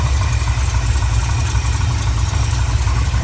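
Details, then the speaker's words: 1984 Chevy one-ton wrecker V8, after fixing passenger-side header leak: deep, loose idle with a puffing exhaust beat; header leak gone, still leaking down at the collector. "Sounds like we're just leaking up down to the collector now."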